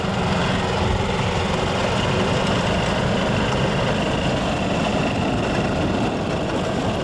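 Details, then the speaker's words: Yamaha G2 golf cart small engine after a tune-up (carburetor, air filter, spark plug), started from cold in neutral, the first cold start in 6–7 years: steady low chugging idle with no stumbles or misses; normal cold idle. "Okay, that's now the first time that's happened in about 6 to 7 years, starting up in the cold. So at least our tune-up did help, and my next step is to take it outside in the snow and take it for a test drive."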